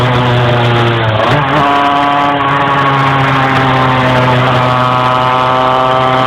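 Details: Engine struggling to climb in revs while driving: revs rise slowly and unevenly in steps, with a stumble partway; hesitation when revving.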